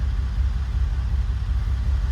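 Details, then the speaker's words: Ferrari V12 project restart after first start with new plugs, touchy ignition switch: steady, even low rumble with no misses, knocks or hunting; normal healthy idle. "okay I'm gonna turn the fuel pump off oh come on I gotta start it one more time what she starts like a darn now Idol's really good"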